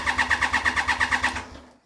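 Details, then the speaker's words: 1993 Triumph Trident 900 (Gen One), sat 5 years, cranked on the starter to pump oil round before fuelling: brisk, even cranking about seven to eight compressions a second with no slowing; battery sounds very healthy. Normal cranking. ">> Battery sounds healthy. >> The battery is very healthy by the sounds of things."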